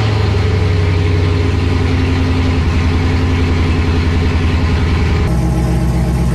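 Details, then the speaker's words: C5 Corvette V8 straight piped with Speed Engineering headers and X-pipe, first start: deep, loud, lumpy idle rumble with an even throbbing pulse, no puffing or ticking leaks; way louder than expected, like a NASCAR. "we've created a monster uh it's way louder than i expected there is no way that the camera is picking up any bit of the the noise that this thing creates it sounds like a full-on nascar"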